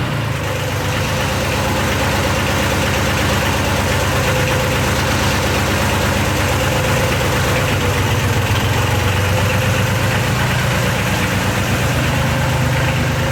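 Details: Yanmar YM276 tractor after clutch replacement and pilot bushing removal: steady diesel clatter at an even idle, no slipping, squeal or grinding; runs normally, slight noise with clutch fully depressed was just an adjustment.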